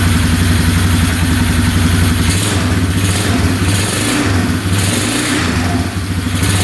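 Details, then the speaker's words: 2011 Polaris Phoenix 200cc ATV, first start after carburetor work, with the choke off and the airbox removed: the single-cylinder runs steady and picks up cleanly through repeated revs with no smoke, misses or knocks; it sounds healthy. "sounds great no smoke at all no knocking in the engine yeah everything sounds really good"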